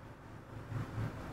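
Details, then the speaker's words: Perodua Viva 1.0 automatic, brought in for stalling, idling with air conditioning on: low, steady hum at about 1000 rpm, no misses or dips; scan data, MAP 6.54 PSI and oxygen sensor, read okay; normal idle. "Jadi hidup aircon pun RPM dia begitulah 1000."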